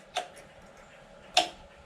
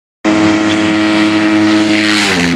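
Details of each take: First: 1999 Suzuki Intruder VL1500 after years sitting, ignition on before cranking: two sharp isolated clicks about a second apart from the electric fuel pump priming the carbs until it stops clicking. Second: 1999 Suzuki Intruder VL1500 V-twin after sitting for years, decompression freed: uneven lumpy revving with wandering pitch, running on only one cylinder and leaking fuel from a carburetor; carbs suspected in rough shape.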